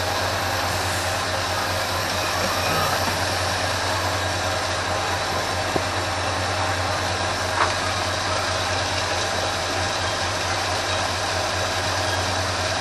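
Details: 1980 Ford F350 after a carburetor rebuild, idle mixture screws being adjusted: steady low idle with a rough, slightly uneven beat; the right-side screw is turned in too far (too lean), so it must be backed out.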